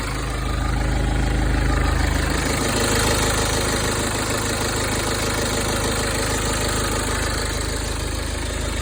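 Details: BMW N47D20 diesel idling with a fast, fairly even rattle about 220 beats a minute over the engine drone; a shop said it comes from the exhaust system, source uncertain.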